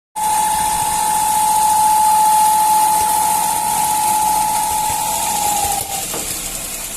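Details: Fiat Uno Fire 3-cylinder idling: steady high whistle from a torn diaphragm in the valve cover (PCV); replacing it fixed the noise.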